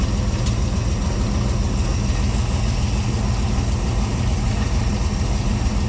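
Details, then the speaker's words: C3 Corvette carbureted V8 idling after float levels were reset toward the middle during the carb tune: deep, steady idle with even, rounded rhythm, no stumbles or misses; it's said to be running pretty good; normal idle. "what else would you do to this you know I mean right now it's sounds like it's running pretty good"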